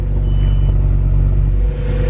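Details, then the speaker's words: Audi S6 with a 5.2 L V10, cold start after sitting overnight: deep, steady low rumble with an even idle and no knocks or ticks. The owner reports it bogs under harder acceleration and suspects carbon buildup. Normal cold start idle. "Well, we're gonna start it. This is a cold start since yesterday. Get a good listen for it."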